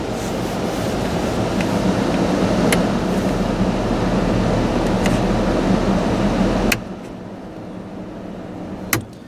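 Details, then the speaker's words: 1991 Ford F-150 heater/AC blower after replacing blower motor and resistor control module: all speeds working, smooth steady rush of air on high with no squeal, rattle or ticking, clean shutoff; successful repair. "all right let's go up to the next speed that's working nice and smooth go up one more that's working and there's our high speed so that's a successful repair"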